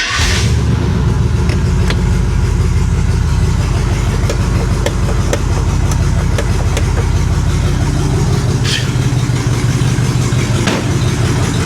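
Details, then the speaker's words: 1970 International D1000 V8 pickup, abandoned over 20 years: catches quickly after a brief crank and settles into a steady, even low idle, charging 14 volts; idle expected to clean up when warm. "Give her a minute to warm up. That idle should clean up a little bit."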